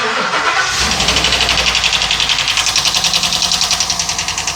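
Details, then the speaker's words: 2022 Ford F59 with a 7.3 gasoline V8 idling roughly just after start-up, with fast uneven ticking of three or four per second heard at the top end, not rod or crankshaft. Code P0300 random misfire; camshaft suspected. "Es un ruido extraño, pero lo que sí les digo que no es biela ni es cigüeñal. El ruido se oye arriba."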